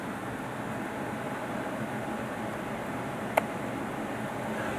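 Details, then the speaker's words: Lennox Elite Series gas furnace, year unknown: after the burner shuts off the inducer runs briefly to clear gas, and the main blower runs on with a smooth, steady airy rush, no rubbing or rattle; normal. "I need the inducer motor on after the burner shuts down it runs for just a few seconds more it gets just to ensure that all the gas is fully out of there which is that'd be safer and as you can hear right now the via main blow are still going to get all the heat of possibly can from it"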